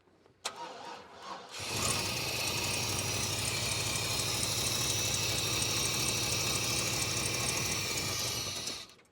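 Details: 1995 GMC, ignition timing not yet set: brief fumble, then loud rough rumble for about seven seconds before cutting; labored starting from incorrect ignition timing.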